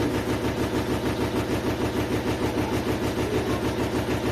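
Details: GEDTECH GLL71200WH 7 kg 1400 rpm front-loading washer, under three months old: heavy even thumps about 98 a minute during spin, machine shaking abnormally; owner suspects manufacturing defect, also shows E2 error and won't finish spin.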